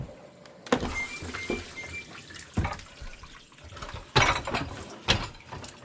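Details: GE dishwasher GDP665SYNFS during wash: heavy irregular thumps every second or two over splashing water; knocking noise, cause not yet known.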